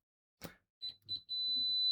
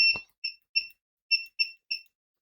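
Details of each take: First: Siglent SDM3045X bench multimeter continuity test with original stock test leads: high tone stutters in two broken chirps before settling to a steady beep; poor lead contact makes the response slow and intermittent. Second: Owon XDM1041 bench multimeter continuity test: loud, high, clean beeps start and stop as the probes touch, about two a second, louder than the Siglent SDM3045X buzzer; working normally.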